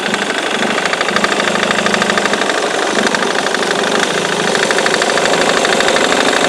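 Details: Ford Mondeo Mk3 2.0 TDCi at idle: sharp rapid knock about three per second over diesel clatter, persisting after new FEBI crankshaft pulley, belt tensioner and accessory belt; source unknown.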